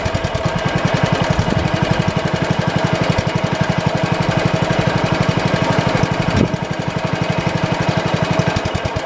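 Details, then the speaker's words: 1971 tractor (110 model), single-cylinder engine being throttled up: a steady thump with crisp snapping ticks and a brief stumble. A chafed spark plug wire is arcing to ground, heard but not seen; it is to be taped. "Yeah, that's definitely our problem. I bet you if I was to push that up against that carb, it would cut off too. Let's just throttle it up again and see if it does. I'll watch it. I don't see it sparking, but I hear it sparking."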